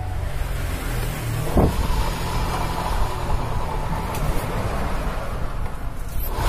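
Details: 2019 Honda Vario 150 scooter, engine running: a steady, deep, rough rumble in the CVT, which also makes noise when the scooter is pushed. Rear pulley clutch or its plate is worn.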